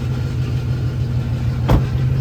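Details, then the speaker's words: Chevrolet Impala SS, sat unused a while: heavy, throbbing idle rumble louder and rougher than stock; owner hears a bad exhaust spot on one side, suspects rusted, leaking pipes, plans mufflers redone. "uh so yeah car is definitely on the louder side however on this side right about here I do hear that those are pretty bad exhaust speed"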